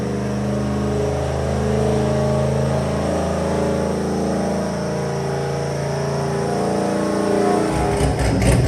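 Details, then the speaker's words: Built, cammed WS6 V8 on the dyno after fresh plugs and a revised idle tune: deep, steady idle with a throaty low rumble and a slight cam lope, running evenly with no misses. Normal cammed idle. "that Idol sounds a lot better you can hear the top a lot more now"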